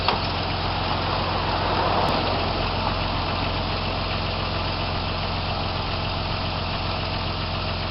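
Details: 1995-96 Jeep Cherokee XJ 4.0 petrol six-cylinder (UK Limited), running after the immobiliser and alarm bypass: steady, even idle with a constant low hum, no misses or knocks; idling normally.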